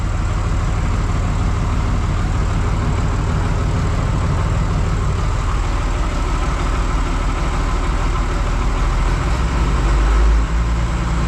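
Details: John Deere 2955 tractor driving repaired Case 600 blower via PTO, warming up in shop: steady low drone, blower spinning evenly, no ticking or rubbing; normal running.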